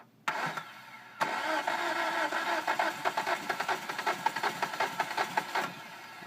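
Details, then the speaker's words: 2005 Hyundai Sonata 2.4 L DOHC after timing belt replacement (old belt stripped teeth and bent exhaust valves), with carbon on new plugs and fuel smell in oil: starter cranks in short bursts and the engine stumbles, barely catching; hard start, cause unknown. "it's trying to start here so we'll try to start it one more time see if we can get it to run"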